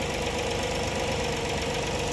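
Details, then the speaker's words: 2013 Ford Flex 3.5 V6 idling after bearing work for a knock like a broken piston: dull fast knock still under the engine note, reduced but not gone; oil pressure rose from 60 to 90 psi. Cause suspected, not confirmed. "Oye mira no esta cosa no no quedó bien se le redujo el ruido pero no quedó 100% bien todavía"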